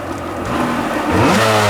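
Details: Sea-Doo XP 720 two-stroke, freshly rebuilt, broken in then on synthetic oil, driveway run on flush hose, driveline disconnected; quick throttle snap, revs rising sharply and cleanly within a second, no misfire or rattle: healthy throttle response.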